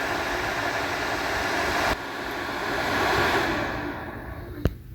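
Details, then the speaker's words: HP Z240 workstation on power-up: loud, steady rushing whoosh of fans wide open, swelling then dying away; firmware glitch, not overheating; fixed by shutting down and unplugging power 10-15 seconds. "so you can hear how the fan is running wide open on this sounds like we're getting ready to take off if I was to unstrapped that computer it would fly away"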